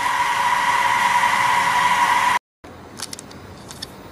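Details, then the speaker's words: DIY solar-powered fan bar (three 2-inch fans) on an inverter. Steady loud rush of air with a thin whistle, then it cuts out. Owner suspects the center fan is thrashing the air for lack of an intake and plans to drill a hole. "so what's happening is the air is really thrash and being thrashed by this Center fan"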